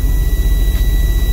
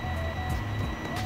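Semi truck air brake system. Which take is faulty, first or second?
first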